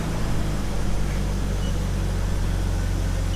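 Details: 2000 BMW E46 with M52TU engine after replacing the intake cam sensor to fix code P0340 and random stalling. No codes on rescan; low, steady idle hum with even beat, no stumbles or surges; normal idle.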